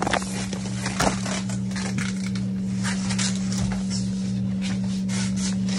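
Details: Newly installed Ruud heat pump water heater that replaced a gas unit, fully isolated with rubber, with no vibration felt: steady, loud low drone with a buzzy undertone; excessive operating noise.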